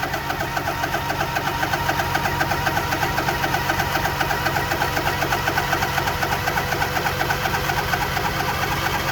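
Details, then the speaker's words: Cold morning jump start after the vehicle sat a long time: labored cranking at roughly four beats a second, with the pace sagging as the starter draws current and the engine bogs down while turning over. "you could hear the uh engine B down know was cranking it's drawing a"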